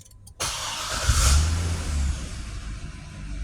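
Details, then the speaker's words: Corvette that would not start, after repairing a faulty switch inside the two-wire antenna: quick crank, then the engine catches at once and settles into a steady, even run with no stumble; normal start. "और माशाल्लाह से हमारी गाड़ी अब start है यह आप check कर सकते"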